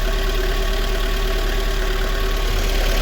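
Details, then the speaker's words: Lada Kalina after valve clearance adjustment, with BRISK Silver spark plug refitted: lumpy idle stumbling unevenly about three times a second, engine shaking; one cylinder misfiring because the spark plug is breaking down; to be replaced with NGK. "давайте чуєте як з перебоями робе троїть чуєте Ось вам і свічки бризка слухайте дивіться як його ковбаса як його трусить"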